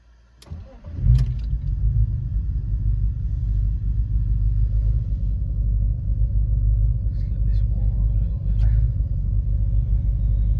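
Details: BMW E46, throttle body replaced for misfire and surging; idle swings about 1500 down to 800 rpm when clutch dipped; owner suspects damaged MAF sensor: catches after short crank, low idle swells and sags unevenly, surging idle.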